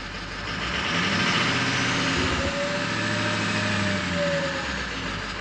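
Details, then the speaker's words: 2006 Ford F-550 6.0L Powerstroke diesel, free-revved after a blue spring kit fuel pressure regulator repair, with the pyrometer just over 200 degrees and the engine still warming up. A clear, steady turbocharger whistle rides over the rev; turbo spooling normally. "So let's get a rev here, see what it sounds like. Yeah, you can really hear that turbocharger."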